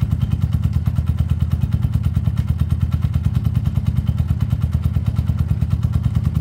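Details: Peugeot Tweet 125cc scooter with new top end fitted: owner says earlier it took ages to start after sitting; automatic choke connected. Low steady thumping beat around three per second, even without cutting out or hunting; running normally.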